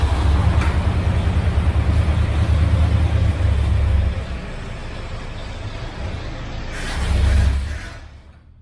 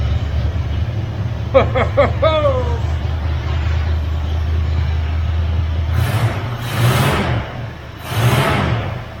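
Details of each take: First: 1978 Ford F-350 crew cab parked 11 years, mechanical fuel pump fed from a five-gallon jug: the engine runs rough, sags and fades, picks up briefly, then dies and won't stay running. Fuel starvation is suspected. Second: 1978 Ford F-350 crew cab parked 11 years, after new carburetor, new HEI distributor and electric fuel pump; short crank, catches quickly, even low idle, three clean revs dropping back smoothly; running healthy.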